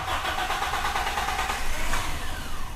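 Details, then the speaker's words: Toyota Kijang with intake hose merely pushed on, unclamped: engine cranks, briefly catches with uneven rumble, then dies; hard start and stalling from vacuum leak, battery was replaced needlessly; easy start once hose refitted. "Sekarang kita hidupkan, itu susah kalau selangnya itu, karena jalur intake-nya itu kan terbuka. Ini starter-starter nggak hidup-hidup."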